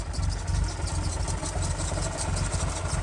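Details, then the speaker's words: Nissan 350Z idling lumpy and unevenly with irregular low clunks under the engine note, nearly stalling then recovering; recorded before a service, cause of the clunking at idle not identified. "plus it it wasn't sounding that good I'll put a little clip right here you'll know what I'm saying but flashback you hear this clunking oh no is it going to save itself oh it saved"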